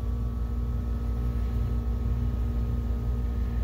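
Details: BenQ DLP projector cooling fan, old fan with warped/melted blade leading edges, projector overheats after an hour though tach shows correct RPM (~78 Hz); smooth steady hum, faint tones, no rattle; warped cooling fan blades.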